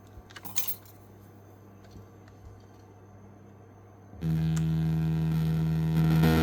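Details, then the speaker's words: Emberton portable speaker with strange sound, tested with an 80 Hz tone: steady low tone comes through buzzy and rough with gritty overtones, clearly distorting; rear driver fine, front driver faulty. "เสียงแตกค่อนข้างชัดเจนเลยนะครับอันนี้เดี๋ยวเรามางัดตะแกงหน้าขึ้นดูกันครับว่าตรงไหนมีปัญหานะครับ"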